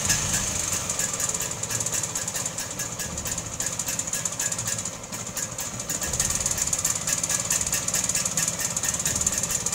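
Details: Vespa two-stroke idling after an ignition fix for backfiring/popping at startup, with a condenser replaced or added after checking points, magnet gap and condenser; busy crackly idle, fast uneven patter, no pops or bangs, running normally.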